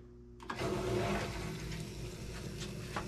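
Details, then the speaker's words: Taco 007-F5 circulator pump, newly installed on a Central Boiler CL 6048 outdoor wood boiler after the old one blew. It clicks on and settles into a steady, smooth low hum with no rattle or grind; running normally. "Yep. That's working."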